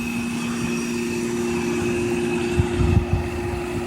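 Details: Trane Weathertron heat pump outdoor unit, about 15 years old, original condenser fan motor, only contactor and run capacitor replaced: steady low hum, even fan whoosh and constant faint tone, no rattles or scraping; normal running.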